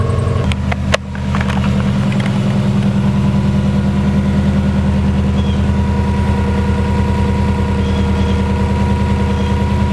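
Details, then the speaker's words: 2000 Subaru Impreza 2.5 swapped to a JDM EJ205: a steady idle with a wavering, uneven beat, hunting between about 1300 and 900 rpm instead of holding one speed; cause not confirmed. "she's idling a bit Hodge she like this in know where to idle to she wants to go higher or lower"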